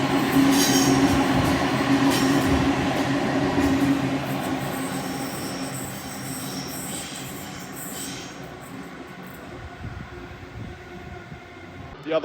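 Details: Trains on a tight, bendy section of line between Waverton and Wollstonecraft stations in north Sydney: a steady high-pitched wheel squeal rides over the rumble and clatter of a passing train, then fades as it leaves.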